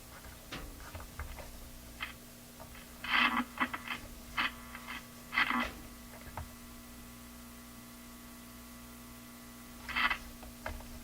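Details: Addison 5-tube radio, basic restoration done, during tube swaps of the 12SQ7 (original has a weak diode): constant low mains hum, steady and unchanging under scattered clicks, nothing else coming through; cause not yet confirmed.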